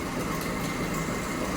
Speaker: you can hear some jingle jangling inside the uh that bearing over here I don't know if you can catch that but you can definitely hear it from a bearing here